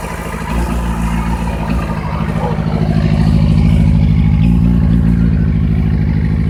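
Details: 2008 Yamaha FZ6 four-cylinder at idle: low, lumpy idle with uneven pulses around three per second that wander in strength, not firing smoothly; rough idle.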